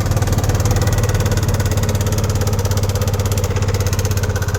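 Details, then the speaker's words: Racing 150 scooter engine idling with a loud, choppy, helicopter-like clatter; owner says the engine is noisy, suspected timing chain rattle from a failed tensioner, with valve clearance and camshaft/rocker bearings also to be checked. "Hi guys so meron na namang dinala na motor dito sa akin Kim ko ito racing 150 so ang maingay daw yung makina"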